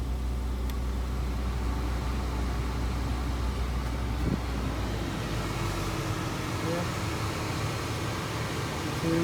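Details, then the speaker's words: Volvo XC90 blower fan after replacement with a used unit from a 2006 S60: smooth, steady whoosh over engine idle, no chirp at low fan speed that the old blower made. "okay now i'm testing the fan i'm not hearing any chirp chirp sound usually i could hear it at the lower"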